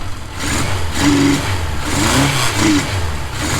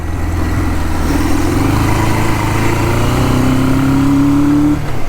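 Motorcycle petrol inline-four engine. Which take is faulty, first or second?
second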